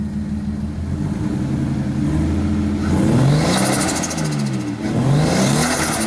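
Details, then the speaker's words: RB-powered Skyline R30 drift car starting after sitting for years, after possibly corroded earths, missing plugs and vacuum lines addressed; catches, holds steady idle, two clean rev blips without stumbling; normal start and revving. "there you have it y'all drift cars started and I'm gonna Live Another Day to burn some more paint off with some burnouts"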